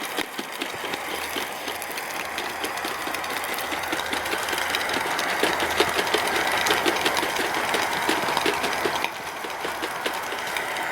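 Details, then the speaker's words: Hornby G100 Stephenson's Rocket live-steam model after repairs, pulling a coach with wind possibly affecting the burner: fast, uneven chuffing at about three beats a second over a hiss; labouring and likely short of steam. "yeah this coach is really giving it something to think about"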